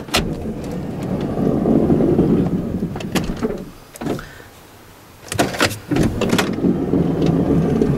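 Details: Third-generation (2005–2010) Honda Odyssey power sliding door after actuator replacement and door panel reinstall, tested with the inside handle: sharp latch click, smooth rolling slide, firm closing clunk, no grinding; normal operation.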